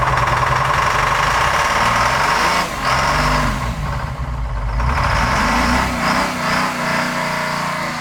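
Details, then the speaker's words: Detroit diesel starboard marine engine on a boat, running after sitting idle at least two years, with seawater, fresh water and fuel checked first; a loud, even clatter with no misses, good oil pressure and water flowing out the back. "Got water. Okay, she sounds good. Sounds Oil good. pressure looks good. Water's good out the back of the room. Sounds like a Corvette."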